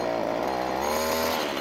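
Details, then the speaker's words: Ryobi strimmer small two-stroke, hard to start, someone had worked on it: fires on choke but bogs when throttle is opened, buzzing unevenly with pitch sagging; suspected carburettor fuel starvation. "give it a pull on choke that fired off choke so it starts up second to hit the gas though foggy"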